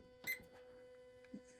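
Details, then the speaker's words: Water heater running normally after the house water expansion tank was replaced; it is plugged in and regulating itself with a steady quiet electrical hum and a couple of soft clicks. "Yeah, I plugged it and now it's on. And I can hear it regulating itself."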